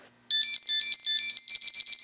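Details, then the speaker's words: Pixhawk flight controller on a QAV500, powered at 5 volts over USB with no LiPo connected: bright high-pitched two-second melody of quick notes, the normal Pixhawk power-up jingle, with the toggle switch LED blinking. "you can hear the little pixhawk jingle you can see our little toggle switch LED blinking"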